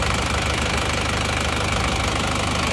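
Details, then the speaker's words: Isuzu Panther diesel, cold start at idle after replacing fake made-in-Japan pistons with genuine Isuzu ones (thermostat housing still temporary): steady even low clatter, no knocking or rough sound; engine now runs smooth, far quieter than with the imitation pistons. "sudah halus bagus perbedaannya sudah sangat jauh ya antara seer yang asli dan seer yang KW Suaranya sangat jauh berbeda"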